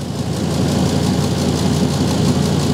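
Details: 2005 Ford Super Duty with 6.8L Triton V10, idling after a cold start during a carbon monoxide check: deep, even idle rumble with steady firing pulse, no ticking or puffing; no audible exhaust leak, CO near zero.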